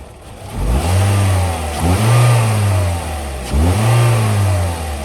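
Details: 2009 Toyota Corolla LE with 156,000 miles, new serpentine belt and fresh oil, heard at idle, then three clean revs climbing smoothly and settling to a steady idle with no knock or rattle; healthy engine.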